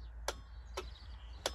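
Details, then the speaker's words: Drop-down bed drive on a new 2023 Auto-Trail F-line F70 motorhome: three sharp, uneven clicks over a low hum with no motor run, and the bed does not move. "nothing it's giving something you can hear it clicking but the bed is just but it won't move not moving which is not good when we're going away next weekend for a week"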